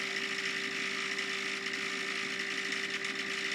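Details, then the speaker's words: Davey D75A1 sump pump, suspected air lock or occasionally spinning backwards: steady motor hum with light rattling buzz, running but pumping very slowly with vibration; cause unclear. "okay the pump is is um it's going but it's pumping very very slowly and there's a bit of a vibration sound"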